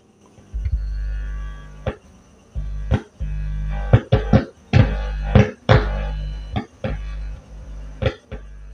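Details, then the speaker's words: OCL power amplifier with "jengkol" output transistors, one channel dead and crackling, tested after cleaning rusty potentiometers: steady low mains hum with loud thumps and pops; hum from tone control sharing the amp's power supply, miswired volume assembly. "Makanya Ini dicoba dulu dan sekarang saya tes setelah disemprot ya wah ini bunyi teman-teman mendengung"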